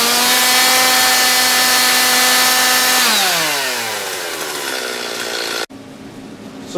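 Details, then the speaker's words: Serviced chainsaw spooled up with bar held near the ground to check chain oiling via the oil line flicked off the chain: steady high-pitched scream at full revs, then smooth coast-down without sputtering; engine and chain running healthy, chain getting oil. "when you when you spool her up you'll see It'll draw a little line there cuz it'll flick the oil off the end of the on the end of the chain there"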